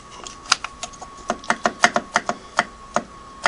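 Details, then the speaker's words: Singer 513 sewing machine turned slowly by hand: sharp irregular clicks and light clunks with each movement from play in the drive, suspected loose main horizontal arm shaft from handwheel to needle bar crank; handwheel bearings possibly worn. "that movement and you can hear that and I actually think that the main horizontal shaft that round shaft you see there that runs m2m from the hand wheel up to the needle bar crank if that's actually loose I can move it back and forth there's play in it"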